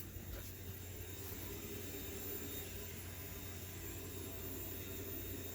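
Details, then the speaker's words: Workhorse W22/W24 Class A motorhome chassis, engine off: faint, steady, even hum of the working in-tank fuel pump, no surging or grinding, normally inaudible with engine running; normal fuel pump hum. "so that's the sound of your working fuel pump but normally you got your engine running you'll never hear that"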